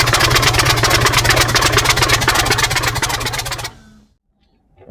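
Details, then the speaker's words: New diesel engine for a T62 tank, first start attempt after oil fill: strong even cranking about three strokes a second for nearly four seconds, then stops without catching; won't fire, later started with starting fuel. "Okay, guys are still trying to get this thing going, so yeah, this is all right. So far, it's being a little stubborn."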